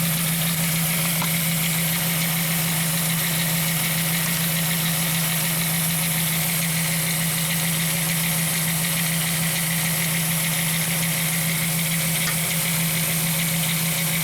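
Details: 1998 VW Eurovan V6 idling with a low hum and slightly uneven loping beat from one dead cylinder (P0304, P1216); injector shows zero voltage, suspected open injector or wire chewed under the intake.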